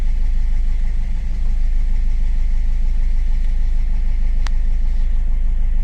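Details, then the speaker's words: 2015 Ford EcoSport diesel (stated as 1.4 and as 1.5 L turbo) with the malfunction light on and a pickup problem: an uneven, lumpy idle beat about three pulses a second; fault code injector 3 circuit open, one cylinder misfiring. "Injector సర్క్యూట్ఏ third injector circuit open problem ఉంది."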